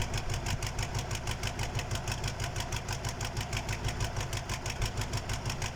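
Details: KAMAZ diesel engine's first start after a major overhaul: even, rhythmic clatter at a steady idle, about three pulses a second with no stumbles; the rebuilt engine idles normally.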